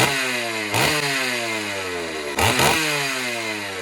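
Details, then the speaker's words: Vintage Stihl 038 Magnum chainsaw (72 cc, 4.8 hp), run after a carburetor clean and carb tweak with no bar fitted yet. It idles, then is blipped twice, sounding blubbery and slow to clean up on the rev. It is still slightly rich, with the final tune still pending. "see how it runs now guys it's still a little Rich still got to get a bar on it before you do the final tune for sure guys"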